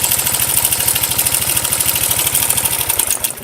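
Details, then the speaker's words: Idle clatter like a typewriter or sewing machine from a very slack cam chain (keteng) that shifted the timing and caused compression loss; the chain is to be replaced. "bunyinya seperti itu seperti mesin ketik ya mesin jahit ya"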